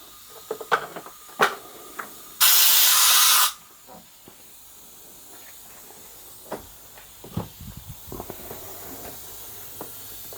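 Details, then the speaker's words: Foden steam wagon injector valve, air test after first lapping: short steady hiss of about a second between light workshop clicks. Seat still weeps very slightly, 100% better than before; more lapping planned. "got a very very slight wheat on it nothing compared to what it had but it's not right yet very very slight so we'll give it a bit more lap in but it's certainly 100% better than it"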